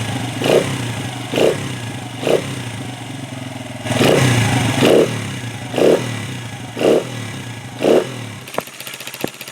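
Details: 1996 Honda XR100 single-cylinder, non-starter after sitting 2 years, carb refilled, started on second kick: blipped about once a second, revs rise and fall cleanly, crisp response, no clatter; normal revving.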